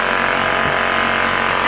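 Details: Honda generator, stored without fuel, would not start; after starter fluid and Seafoam in the carburetor it hydrolocked, then spark plug removed and oil pumped out, now running: steady even buzz, constant pitch, no misses or surging; normal running after fix.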